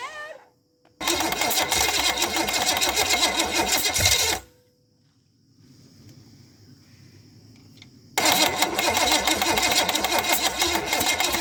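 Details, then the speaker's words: $50 Chevy small block 305, carb float bowl just filled: two bursts of even, rapid chugging about four beats a second, turning over but never catching; crank no start, owner thinks it's just the starter noise. "you know that's just the starter making that noise i think"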